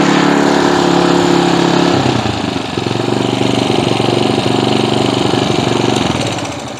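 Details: Earthquake/Predator Versa tiller, single-cylinder, started on full choke and full throttle after sitting unused, with the air cleaner off and some internal parts repaired. Fires up loud, then settles into a steady, even beat with no misses or surging. Runs normally.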